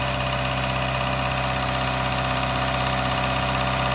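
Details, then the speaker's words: Daihatsu Mira on a cold start after sitting about two weeks, after adding a Prolube oil additive for lifter ticking: a steady, even idle with no top-end tapping, so the ticking is gone; a squeaking alternator belt is noted. "It doesn't seem like anything, but that ticking is not here. Very interesting."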